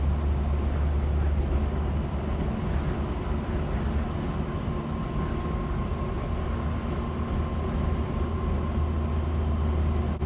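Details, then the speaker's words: 1976 Land Rover Series 3 109 with the 2.25 petrol engine, driving after a new exhaust replaced the holed one blowing at the manifold: a steady engine purr instead of exhaust roar, still noisy but much quieter. "I don't know if it picks it up on the video. Definitely an improvement, even though it is still noisy. Not quiet as the vehicles, no soundproofing on anything. But I can hear more of an engine purr rather than an exhaust roar."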